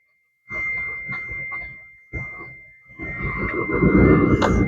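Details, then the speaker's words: Long-stored Mitsubishi being jump-started: steady high chime over repeated alarm bursts growing louder and busier; the warning chimes and alarm sound once the jump cable is tightened. "Oh, we got alarm bells. Alarm bells are Well, they're a sign of life."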